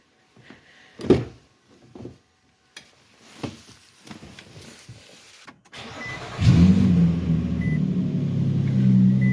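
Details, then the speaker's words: 2013 Nissan Pathfinder started after alternator replacement, battery now charging: after some clatter the engine settles into a steady idle with a low puffing rasp underneath, an exhaust leak that was present before the repair. "Looks good, sounds good, minus that exhaust leak, but that was like that before it came in."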